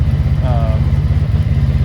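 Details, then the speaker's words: 1983 Honda Magna V45 VF750C V4 motorcycle, 12,000 original miles, warm idle off choke at the factory 1,000 rpm: steady, even, throaty low throb with dual exhaust, no tappet ticking, no apparent exhaust leaks. "so as you can hear uh there's no um no tap it noise doesn't seem like any exhaust leaks um definitely pretty throy"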